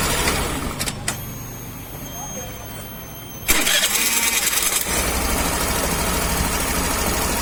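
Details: Suzuki Access BS6 scooter: quiet, then the starter catches and the engine settles into a steady, even idle with no knocking or rattle; sounds healthy.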